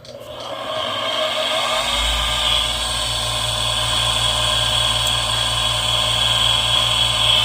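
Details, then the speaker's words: Newer Duquesne furnace inducer motor, jumped out with manometer attached, still pulling good water column: spins up into a loud, steady high-pitched scream with rough grinding; suspected dust from basement renovation in the bearings, internal motor fault. "this thing is pulling a good inches of water column but maybe some dust not inside the bearings and that is what's causing the sound I definitely I definitely want to open this up to take a look it sounds like the internally something is definitely going wrong inside that motor that's not a normal sound"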